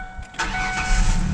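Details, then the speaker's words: 2002 Ford Ranger V6 after replacing coil pack, spark plugs and wires (firing order 1-2-3-5-6-4): quick crank, catches and settles into an even, smooth idle; earlier misfire shake is gone, check engine light was from the misfire. "that shake is gone we are not misfiring anymore which is great those plugs are doing awesome hear how smooth she's purring now"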